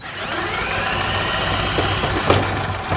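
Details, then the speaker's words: Generac GP3250 generator that sat 5+ years with parts missing, started on a spray with a spring on the throttle linkage and no governor fitted: it catches after a few uneven beats and keeps running on its own. "Oh! It hit. Oh! Yeah, she does run."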